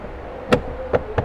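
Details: Datsun redi-GO glovebox lid rattle: three sharp hollow knocks in about 0.7 seconds over a quiet cabin; stoppers/buffers at the latches come out, leaving a gap, so the lid knocks.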